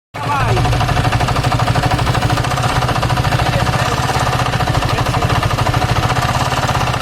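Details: Yamaha R15 V3, long left standing: loud, fast, hard clatter over the whole engine at steady speed; severe internal wear, rockers, cam, timing chain, connecting rod and all bearings need replacing.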